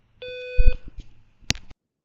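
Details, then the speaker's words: Low-frequency harmonic alarm tone compared with the usual high-pitched temporal-three beep: a single short low beep, fuller with added harmonics, over handling clicks; normal alarm tone. "So, it doesn't sound quite too different, but you can definitely tell it's a uh it's a much lower tone. Uh it's actually a fuller tone as well."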